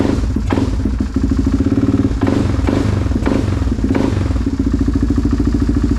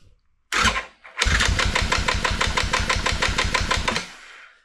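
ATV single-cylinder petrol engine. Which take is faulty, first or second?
second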